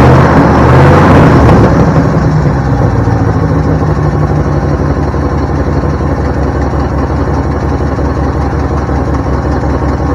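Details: 1972 Ford Bronco 302 V8, first start in at least 20 years after confirming spark and supplying fuel: quick rev on catching, then a steady, even, deep idle with a regular pulse, no knocks or misfires.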